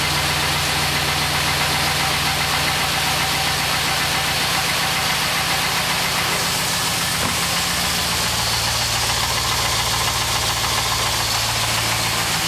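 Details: 2006 AWD Chevrolet Trailblazer SS V8 on cold start: steady light knock about three to four times a second over the exhaust, believed piston slap but unconfirmed.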